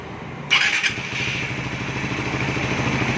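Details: Raider 150 Fi after fitting a 36mm throttle body, 10-hole SGP injector, repaired starter and reset tensioner; starter whirs briefly, single catches cleanly and settles into a steady, even idle with no knocks or misses; normal start and idle.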